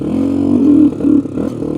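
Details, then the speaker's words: Honda 350X three-wheeler test ride in spring mud, clutch not disengaging, was fine last year: engine note climbs then sags and stumbles, worse at half choke, can't exceed quarter throttle; bogging under throttle, cause unclear. "She's a little boggy. Let's try uh choking it halfway. See if that's better. Oh no, that's worse."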